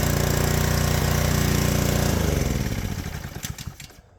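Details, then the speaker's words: Power washer's small single-cylinder engine, on fresh 89 gas after carb removal and cleaning (it had run only on choke), runs evenly with a steady beat for two seconds, then slows and dies when switched off; normal running. "oh man this is this is great I mean we took the carb off we did some cleaning and it's ready to go now"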